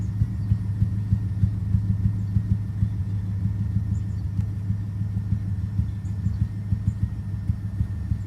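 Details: 2005 BMW 650i 4.8 V8, idling: uneven lumpy idle with irregular stumble, worse after about two minutes when revs drop; persistent cylinder 5 misfire despite swapped plugs, injectors and coils; cause unconfirmed.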